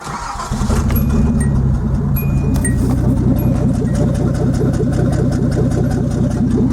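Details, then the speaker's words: Nissan 280ZX Turbo with about 200,000 miles, warmed to around 180-195°F: lumpy, stumbling chuffing idle like an old steam engine and the engine shakes; cylinders 1 and 5 injectors cut out when hot, probably number five. "sounds like just one of the injectors is not working right now it's probably that number five"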